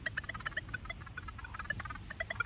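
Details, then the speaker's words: Metal detector at maximum recovery speed near power-line pylons: erratic chirps and tones with no target present, instability from electromagnetic interference; dropping recovery to 1 removes it. "Also on a detector, if you're having problems with E.M.I, what's the recovery? If you put that on max recovery,"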